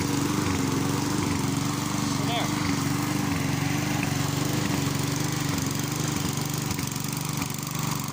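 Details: Mountfield self-propelled lawn mower rescued from scrap, with new electric brake, started with a bit of throttle: small single-cylinder engine running steady with an even buzzing note, no misfires or knocks.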